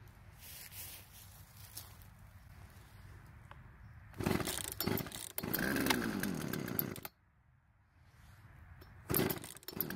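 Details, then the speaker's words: Poulan chainsaw out of storage, after carb adjustment, chain tensioned and sharpened; quiet idle then crisp revs climbing and dropping cleanly, no bogging; idle speed needed adjusting to stop chain creep. Normal running. "surprisingly besides needing to adjust the idle speed to keep the chain from moving while off the trigger it seems to be running and cutting just fine"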